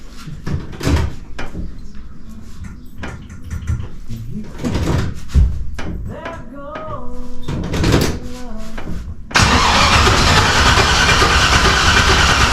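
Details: Turbo LS Camaro first start after three days of attempts and a freshly fitted starter (old one suspected bad, cranked slowly): brisk cranking in short bursts, fires around nine seconds and holds a loud, steady run; normal cranking and start.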